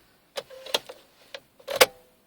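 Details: 2000 Volvo V70 2.5 TDI won't start: a handful of sharp, uneven rapid clicks over two seconds with flashing lights, no cranking or firing; clicking no-start.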